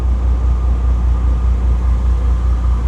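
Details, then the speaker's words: Bentley W12 after replacing the cylinder 10 injector: deep, even engine rumble with a steady low pulse and no missing beats, running much smoother on all cylinders; smooth running engine. "it runs much smoother. Hold on. Ignition on, engine off. Right, let's delete all the faults, because it actually sounds much better after changing the injector."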